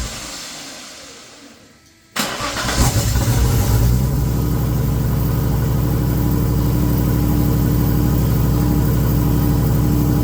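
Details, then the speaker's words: VL Commodore turbo, sitting 20 years, starting for the first time after a missing relay/fuse connection was found: engine catches after brief silence and settles into a steady, even, smooth low idle; normal idle, no fuel pump fitted yet. "all righty so just a little update on how the valve will be going or is going"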